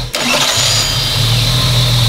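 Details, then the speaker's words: Engine on a motor dyno with no gearbox attached, so no low-rpm torsional-damper rattle from alternating torque: it catches at once and settles into a smooth, even drone with no rattle underneath. Only the engine is heard; healthy running. "Das ist ja auch, wenn er die Bremse mitzieht. Jetzt hörst du nur den Motor."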